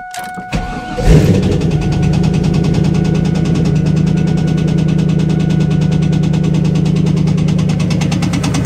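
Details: 1998 Trans Am, LS1 V8 after start-up: fast, regular deep knocking about three per second over the idle; owner suspects a rod bearing, not confirmed.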